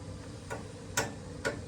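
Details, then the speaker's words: Ancient steam boiler heating system with the problem reproduced: sharp knocks about every half second over a low rumble. The condensate wet return line is ice cold and suspected clogged: steam pipe banging. "And she's banging. Okay, see it's banging. Mm-hmm. All right. So we're duplicating the issue now."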